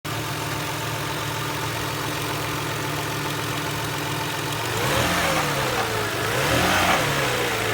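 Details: 1999 Toyota Harrier petrol engine idling, then revved twice, with a steady knock of roughly three to four beats a second; owner does not know the cause.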